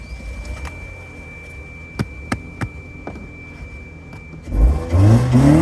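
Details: Toyota that sat since October and misfired, after cleaning plugs and Seafoam: light clicks, then revs climb cleanly with no stumbling or popping; now running good, normal revving.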